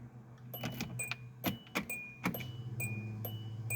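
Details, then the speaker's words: 2005 Hyundai Santa Fe with relatively low miles, fuel pump just replaced over a leaking tank and gas smell, tank still empty; at key-on a steady low in-tank pump hum under clicks and chimes, normal prime. "And yes, I can definitely hear that fuel pump."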